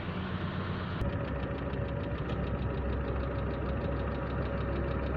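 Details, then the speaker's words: Chevrolet Aveo after fixing racing high idle: steady settled low idle with even hum, no hunting or racing; old check-engine light left unscanned by owner's choice. "Ang importante ay hindi nagwa-wild yung kanyang sasakyan."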